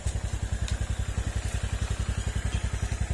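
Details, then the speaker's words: Honda Click scooter after repairs to a bought-used engine with many problems: quiet even putter about three and a half beats a second, earlier ticking gone; normal idle. "Ayan, tumahimik na. Hindi na yung umpisa."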